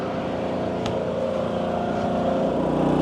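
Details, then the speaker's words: Generator rated 3600 W on propane, fed from the RV propane supply, running both RV air conditioners at about 2700–2800 W (roughly 76–78% load): steady engine drone firming slightly as load comes on, no misses or knocks; healthy under heavy load. "so that generator is rated for 3600 on propane, and so right now with both ACs running, I'm actually right about 27 to 2800 watts."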